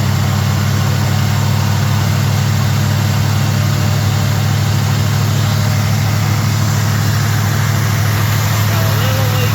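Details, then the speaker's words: Small block Chevy truck after swapping a sat-up Edelbrock carb for a Holley, first idle after the swap, slight possible leak noted; steady, even low rumble with no misses or knocks, idle being adjusted without tachometer; normal idle. "It ain't got a RPM gauge, but it sounds pretty good, though. Listen, you hear that? It's idling for the first time."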